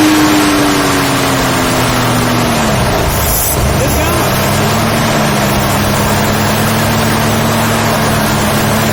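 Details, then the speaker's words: 1972 Ford Falcon XY 4x4 ute revs, falls back, then holds a smooth, quiet, even idle with no knocks or misses and no visible smoke. "listen to it so quiet I mean does it even blow smoke like I don't see any"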